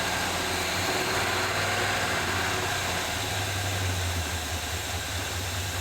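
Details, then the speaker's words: 1978 Chevy C10 V8 first running after fresh gas added: even low rumble at steady idle with some hiss, no misses or knocks; smoke under hood believed burning off old residue and transmission fluid leak; oil pressure gauge not moving. "I think we're just burning off stuff that's been on here for a while. But hey, it runs pretty good."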